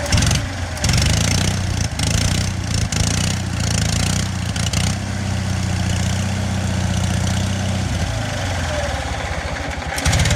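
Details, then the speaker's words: Onan 4 kW generator catches after cranking and runs a steady low drone that loses steadiness and fades out. It runs fine cold but stalls after four to five minutes once warm; owner suspects something, possibly a sensor, is killing spark. "here's the interesting thing is it runs fine cold as soon as it was it was running for about four or five minutes there as soon as it gets warm it's like nope had enough"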